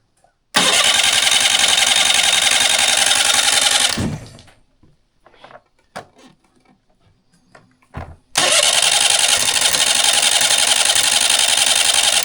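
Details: Mercury 9.9 outboard run in a water tub after sitting two years: catches, runs rough and loud about three seconds, stalls, then fires again after a pause; hard starting after storage.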